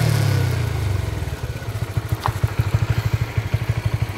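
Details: Honda CB150RR after fitting a new sprocket with glued hose pieces to damp chain noise: small engine revs and settles to an even idle pulse, no chain slap or rattle; quiet drive chain.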